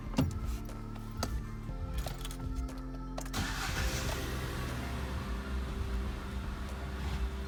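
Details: Vauxhall Corsa after repair for P0300/P0304 cylinder 4 misfire with new NGK ZFR6V-G spark plugs: engine catches and settles into a steady, even low idle with no missed beats; music partly covers it.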